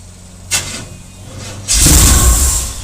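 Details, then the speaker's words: 1976 square-body Chevy with factory 454 after swapping an Edelbrock carb for a Holley, gas poured in the bowls, hot Texas weather: long crank, short burst, brief roar then fade; cranks but won't start, owner thinks it was just flooded. "oh we almost had it try [Music] again almost get a little gas all right let's go make some adjustments all right I don't think I needed any adjustments actually think it was just a little flooded"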